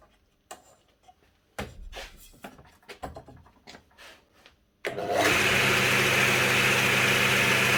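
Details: Old DeWalt DW743 flip-over saw induction motor that only hummed and wouldn't start, fixed by replacing the start capacitor; motor spins up at once and holds steady even whine, running normally.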